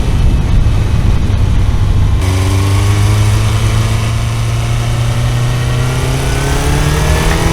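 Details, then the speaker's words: Kawasaki four-cylinder carbureted motorcycle, test ride after fixing the vacuum on two carbs: it revs up smoothly under a loud, rough noise, and the knock under load persists, so the rider backs off the throttle; the engine still knocks. "ugyanúy kopogott haem jobban most már ment tehát így elindult így így így éreztem hogy így menne csak így az ember így visszaengedi a gázt mikor ezt a hangot hallja"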